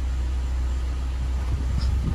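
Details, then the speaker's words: Ford EcoSport (new generation), idling with A/C on: steady low whoosh of the radiator cooling fan under the engine hum, cutting in within about 10 seconds of the compressor engaging; normal cooling fan operation. "Hum e ele trabalha assim mesmo tá pessoal ele aciona Passa 10 segundos no máximo"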